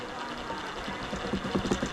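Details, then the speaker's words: 1/6-scale RC Willys Jeep: the small electric motor hums, then a knocking rattle builds when the wheel is held to load it. The rattle comes from a damaged, notched drive cup and is absent without load. "and all of that comes from over here from that drive cup but we're not done yet"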